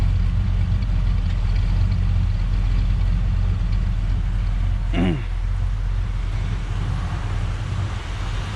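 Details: 1967 Ford Galaxie 500, 289 Ford V8, warming as the thermostat opens during the 30-minute break-in: deep steady idle with slight unevenness, a touch lumpy; owner suspects the carburetor idle screws need adjusting.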